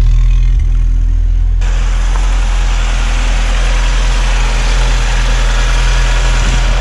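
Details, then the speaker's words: 1986 VW Golf 2, 1.8 GX 90 hp petrol, at about -13 °C after engine problem fixed: steady even idle with smooth low rumble, no knocks or misses; slow cold start, needs a little throttle, healthy after a minute or two. "конечно в холодную немножко он медленно стартует вы видели но немножко газу dash и через одну-две минутки он работает"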